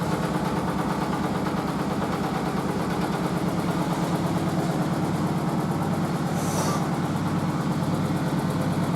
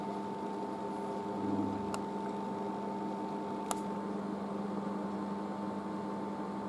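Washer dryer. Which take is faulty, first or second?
first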